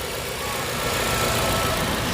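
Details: Even, steady idle with no stumbles or misses after cylinder one coil and plug were checked and the plug cleaned; the engine is not misfiring now, though OEM plugs are still needed to replace the aftermarket ones.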